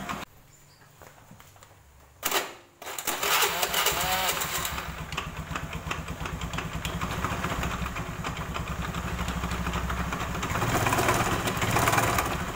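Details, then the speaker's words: Honda Beat automatic scooter: after starting, it settles into a steady, loose diesel-like clattering knock of about three per second. The mechanic suspects the CVT, which has not yet been confirmed. "kita kedapatan motor Beat yaitu yang suaranya klotok klotok seperti mesin diesel ya"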